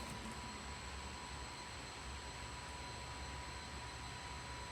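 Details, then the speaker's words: KTM RC8R with swapped 2020+ 1290 Superduke engine and electronics, bike wrecked and probably unrun about 2 years, little fuel added, fuel level sensor error shown: even steady whir with faint high whine after key-on; fuel pump priming normally. "I mean, I hear the fuel pump priming."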